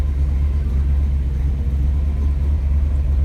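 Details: 1948 Mercury coupe idling cold: deep steady even throaty rumble, not overbearing, no knocks or misses; oil pressure a little over 60, water temperature cold. Normal idle.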